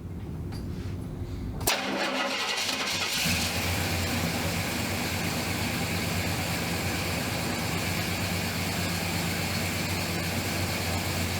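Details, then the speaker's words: 1970 Pontiac Grand Prix SJ V8 after cam break-in, started next day once cooled, no throttle: brief crank, fires instantly, settles into a steady even idle with a deep lumpy beat; normal cold start. "Fired right up like it's supposed to. Nice idle."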